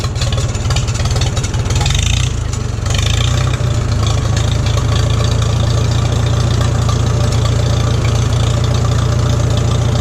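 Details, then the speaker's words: 1941 Farmall H tractor, converted from 6 to 12 volt, started without choke; previously surged when given throttle, now runs much smoother with hardly any hesitation, may still need fine tuning. Steady, even four-cylinder chug, no surging or stumbling; normal running. "It's running much smoother now without hardly any hesitation, because every time I would give it a bit more, like right there, the engine would want to surge."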